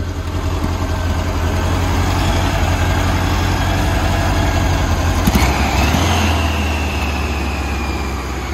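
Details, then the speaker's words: 1979 VW Beetle convertible air-cooled flat-four, 80,000 original miles, new injectors and distributor cap: loose uneven idle pulse with some surging; owner suspects lean running, possibly an air leak from a cracked elbow, unconfirmed. "now it's starting to idle better but it's uh it's got to be lean but we've changed so many parts on this motor I just can't figure out"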